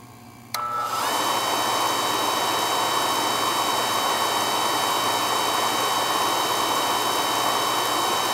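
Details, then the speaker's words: Carlin EZ1 oil burner that ran rough and locked out, likely from air in the oil line, after a new 0.85 60° B nozzle: ignition snaps on, then a steady even roar and fan hum with no pulsing; burner firing cleanly. "she ain't got the shakes no more oh a lot smoother this doesn't have the parkinson's no more"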